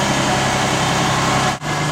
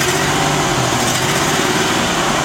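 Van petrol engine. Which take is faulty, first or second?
second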